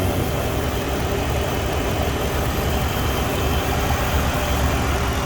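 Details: 2006 Jeep Commander 4.7L just after water pump replacement, engine started to bleed coolant (burping); steady, even idle with low rumble, no knocks or squeals; owner notes an exhaust manifold leak and clutch plus electric fan; running fine.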